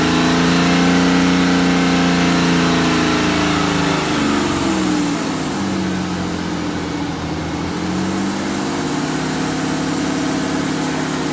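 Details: BMW N57D30 diesel at 325,000 km held at raised revs with uneven misfire-like tapping; chains, injectors and crankshaft pulley new, sound same with or without accessory belt; cause not found.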